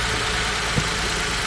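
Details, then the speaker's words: 2010 Ford Edge 3.5 L V6 after starter motor replacement, idling while antifreeze is topped up and heat comes on: smooth even low hum, no knocks or misses; normal. "and we have fire so we've done our job right we got the starter going we got it in"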